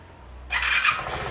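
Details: 2020 or 2021 Vespa S125 after stator and magneto repair for a no-charge fault; short starter whir, single catches quickly and settles into even steady run; battery then charging at 14.1 V; normal engine start.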